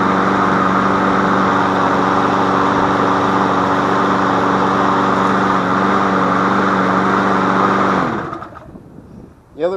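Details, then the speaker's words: Free MTD Yard Machine push mower, auto choke, only oil change, new air filter, sharpened blade, running on old gas: even, steady drone at constant pitch, no misses or knocks, then shutoff and coast down; normal running. "there's nothing really wrong with it I'll start it up for you guys here that's an auto choke"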